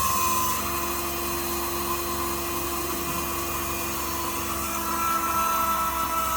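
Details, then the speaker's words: AU Ford V8 Supercar with Motec system and fresh fuel, engine off: steady high electric whine and light buzzing as the Facet fuel pumps prime and build fuel pressure normally. "Okay, shut her off. Yeah, you can actually hear the little facet pumps now. Yep, go again."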